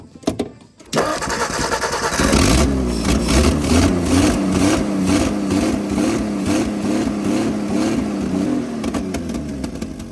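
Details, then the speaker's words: 1959 Ford Edsel, sat over a decade, being revived; not pulling fuel and not charging, fuel pump suspected ruined by varnish. Short crank, catches, idles unevenly several seconds then fades and dies; won't keep running. "this thing's cursed it's not pulling Fuel and it's not charging"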